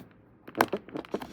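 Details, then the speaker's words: 2019 Opel Insignia at 20,000 km, door trim panel: dry crackling creaks in short bursts each time the panel is pressed; a factory-missed plastic weld lets the trim move. "hem ses yapıyor hem orada oynuyor. Diğerleri asla oynamaz."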